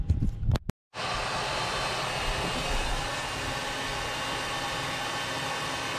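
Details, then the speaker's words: 1934 Bell & Howell Filmo Model 57 projector, an auction find, projecting old film: a steady, loud, even whirring with no knocks or surges. It is running normally, just very loud. "folks you can hear the camper going it's very loud"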